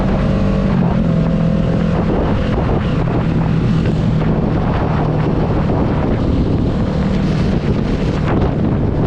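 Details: 2022 Kawasaki Ninja 650 ridden with windscreen and mirrors removed: steady engine drone under heavy wind rush, no buzzing or rattling from the fairing; no fairing vibration, confirming the windscreen causes it.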